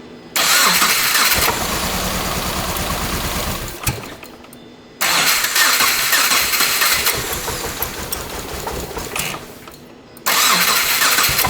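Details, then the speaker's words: 2.5L engine-swapped first-generation Subaru Crosstrek, fuel unplugged on two cylinders to isolate a fault: cranks, runs lumpy and uneven for seconds then dies, twice; running on cylinders 2 and 3, with cylinder 2 appearing weak. "Alright, so obviously cylinder 2 seems like one of the guys isn't really performing like we want."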